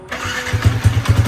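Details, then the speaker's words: Rebuilt motorcycle engine with superhead, racing water pump and TS Racing 32/35 setup: ignition timing set but still fluctuating since not yet dynoed and TPS not calibrated; catches quickly then lumpy, uneven beat around ten firings a second. "Tadi dah start, kita dah set timing bagi ada. Tapi timing tu masih naik turun lah. Sebab kita tak dyno lagi. TPS pun kita tak calibrate lagi."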